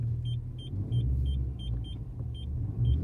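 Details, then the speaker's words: Honda Civic MK8 with newly installed aftermarket rear parking sensors, all four, tested while reversing toward a garage. Short, crisp high beeps about three a second over a quiet engine, intensifying as the car gets closer. Sensors working normally. "so we're gonna test out the parkinson's now by reversing the car you'll hear it beef as we get closer to the thing they're like objects"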